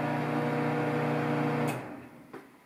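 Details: Samsung 1.9 cubic foot microwave on start-up: steady loud buzzing hum with a strong low tone, then it cuts off with a click; strange, abnormal vibration noise.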